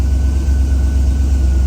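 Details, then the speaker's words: Crown Vic V8 that normally idles around 800–850 rpm now idling over 1,000 after intake blew apart during a run: deep steady drone, high idle from a vacuum leak, suspected cracked intake or blown intake-port O-ring. "So this thing typically idles around 800, 850. So, fire this thing up."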